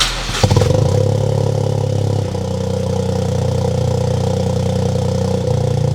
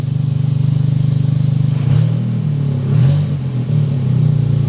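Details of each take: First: Freshly built Toyota GR Corolla after new spark plugs, factory fuel injectors: fires and settles into steady even idle; cylinder 1 and 3 misfires gone, cylinder 2 only 2 counts. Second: Freshly built Toyota GR Corolla with aggressive cams, running the wrong tune: lumpy idle with uneven pulse and dips when blipped; slight occasional misfire expected from cams and mismatched tune, far less than before.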